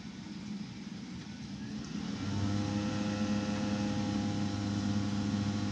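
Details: Rinnai tankless water heater throwing error code 10, before blower replacement, with debris and bugs already cleaned from the blower: a steady hum with a loud rough vibration building. Owner suspects a worn blower motor bearing that can't ventilate well is causing the code.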